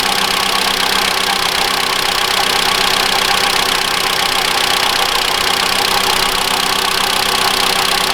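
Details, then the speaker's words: 2013 Mitsubishi ASX 1.8 petrol, CVT, 448,000 km, after the alternator pulley was replaced. Cold engine at a fast warm-up idle, checked with a stethoscope: an even hiss-and-hum with no knock from the accessory drive; normal. "Сейчас обороты высокие, двигатель холодный, поэтому прогреваю, смотрю. Но в данный момент никакого постороннего звука нет."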